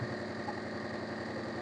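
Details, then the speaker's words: Maruti Suzuki Omni MPFI with very poor pickup and low mileage, spark plugs already replaced by customer; at idle with seats removed the engine shakes and vibrates heavily with a lumpy recurring stumble, one cylinder dead. "Engine ഇങ്ങനെ തുള്ളി തുള്ളി തുള്ളി നല്ല വൈബ്രേഷനില ആണ് engine നിൽക്കുന്നത് നല്ല രീതിയിലുള്ള തുള്ളലുണ്ട്"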